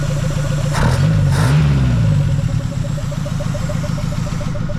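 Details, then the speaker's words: Mazda B2200 carbureted engine, running after 20 years following a full new fuel system (carburetor, lines, filters, pump, fuel cell): even, steady idle with a couple of clean throttle blips rising and settling smoothly; healthy. "well guys she runs finally after doing the whole fuel system carburetor fuel lines fuel filters fuel cell everything she finally runs"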